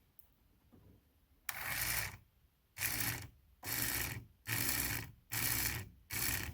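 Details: 1981 Cadillac 8-6-4 6 L multi-displacement V8, new idle speed motor tested by wiring straight to the battery to extend it: six even whirring bursts about a second apart with quiet gaps as the plunger drives out cleanly; operating normally.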